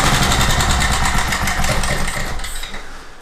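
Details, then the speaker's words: Craftsman portable generator, sat unused and possibly tinkered with by owner, cold repair: nudged off idle screw, engine races hard well above normal speed then winds down; disconnected governor spring lets it overspeed. "but man, as soon as you move it a tiny bit away from that screw, as soon as you move the idle up just a tiny bit, it wants to just take off. It wants to idle up way too high."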